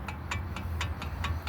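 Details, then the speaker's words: 2003 GMC Envoy with loose-feeling front end and clunk: sharp, even clicks about four a second from a worn outer tie rod end with lots of play; inner tie rods seem fine, lower control arm also worn. "we got a lot of movement on that lower Tire or outer tire rod inner tire rods don't seem like they're moving too bad"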